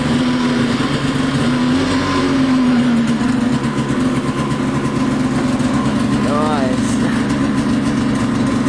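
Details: Switchback snowmobile cold start on a 34° August 2009 day, prepping for winter: steady crackly two-stroke idle settling after the throttle is backed off, even and unbroken; idles fine from a cold start.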